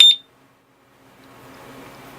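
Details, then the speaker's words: Urban UR6 alarm disc lock on a Victory Empulse TT electric motorcycle: one short sharp high-pitched beep when the arm button is pressed, starting the 10-second arming countdown; normal arming beep. "after 10 seconds it's gonna arm so wait 10 seconds okay now it's armed and then I'm like if we shake it or something it's gonna beep six times"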